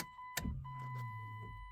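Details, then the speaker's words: 2000 Chrysler Grand Voyager SE minivan, 114,034 miles, parked over 8 years with a dead battery, power restored: a clear repeating high electronic ding in a quiet cabin from the dash warning chime; normal warning chime. "Alright, so what do you guys think? Got a dinger."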